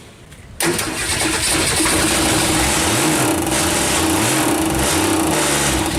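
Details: 1962 Ford Falcon engine after rebuild, failed during break-in: fires up and settles into a rough idle with a hard knock on every turn; engine not yet opened; crankshaft striking a dented oil pan.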